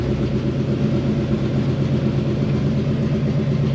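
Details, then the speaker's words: Fox-body Mustang with carbureted Holley, no choke, cold start in garage with 15W-40 oil: low, slightly lumpy but even rumble held just off idle on barely-pressed throttle; cold V8 running normally. "okay so it did cooperate today hopefully you guys can hear me CU I'm still in the garage now I got my foot on the accelerator okay I'm barely pushing it just enough to keep it running all right cuz I don't like to uh rev a cold engine"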